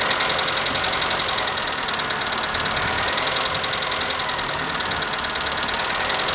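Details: Skoda Fabia at cold morning idle: fast light ticking about three or four clicks a second from the top end; owner suspects hydraulic lifters, but dealer replaced all 16 in three visits and the noise persists; cause unconfirmed.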